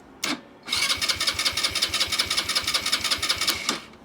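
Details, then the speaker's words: SYM Jet X 125 scooter with ignition on and fuel pump priming: the starter cranks with steady, even compression pulses but never fires, because the helmet-compartment lock safety switch was engaged and blocked starting. "Won't start. Body works off."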